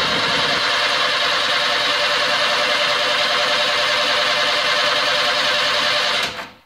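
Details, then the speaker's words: VW bus after repair of loose adjuster whose screw backed off and dropped number-3 exhaust pushrod: starter cranks at steady rate, all compression pulses even, no fast spot; compression even across cylinders. "how all the solar pulses appear to be the same and you don't hear a fast spot when it's cranking"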